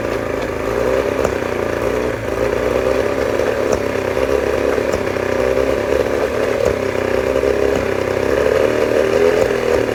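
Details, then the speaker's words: 1989 Johnson 40 hp outboard, warming up: a steady two-stroke buzz with occasional uneven stumbles in the beat; owner unsure whether it is a misfire, cause unclear. "Um I'm just trying to figure out what's going on. Is that like a misfire or I don't know."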